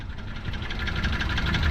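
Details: Toyota Wigo engine at idle: heavy rhythmic knocking and rough, uneven running, bad enough that the engine stalls. It is not valve clearance. Water likely entered through the air cleaner.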